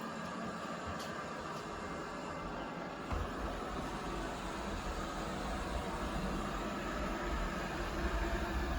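An even, unbroken whir of motor and brushes holds steady throughout with no knocks or scraping: the robot vacuum is running normally.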